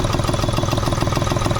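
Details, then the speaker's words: Hyundai Xcent diesel idling after a previous engine overhaul elsewhere, misfiring and producing black smoke, before EGR cleaning (EGR valve later found jammed with carbon); clattery choppy uneven pulses, lumpy rhythm: rough idle. "ये स्थिति है गाड़ी की बहुत condition खराब है sound में थोड़ा डिस्टर्ब हो चुका है और नेट में से बड़ी अजी तो गरीब आवाज़ ए रही है"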